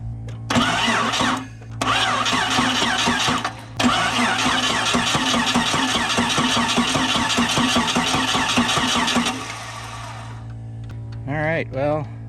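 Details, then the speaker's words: Barn-find 1998 Jeep Cherokee XJ cranked with the valve cover off and coil disconnected: uneven bursts with heavy irregular clunks each turn; valves work normally, owner guessed bottom end, but the clunk traces to the bell housing. "all the valves appear to be working normally and from up here i can hear a horrible clunking noise coming from the engine so i'm guessing it's in the bottom end"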